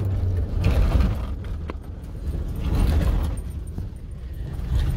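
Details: Toyota Hilux 2017, 2.8 1GD diesel, after its seized engine (near-zero oil pressure, crankshaft play) was replaced, bled and filled with new oil: deep, even diesel rumble swelling and settling smoothly, no knocking or clatter; normal running.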